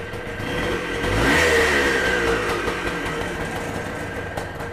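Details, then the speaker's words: Kawasaki KE175 vintage two-stroke motorcycle pulled out of storage and made street-ready, transmission case oil checked: crisp two-stroke blip rises cleanly and settles back without bogging or misfire; healthy engine. "i've got to go run my errands and i'm going to take this because it's running now"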